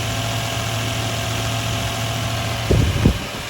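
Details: 2000 Toyota Land Cruiser 100 Series 4.7 L V8 idling after starter replacement, injectors not leaking: steady even low idle, smooth rumble, no knocks or ticks, brief bump near end; engine sounds healthy.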